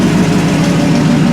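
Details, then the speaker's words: 1955 Chevy pickup with carburetor, first start after long build and sitting, idling without throttle; deep, steady, even V8 rumble with no knocks or misses; normal idle. "Got a nice little rumble to it, nothing crazy. Nothing crazy."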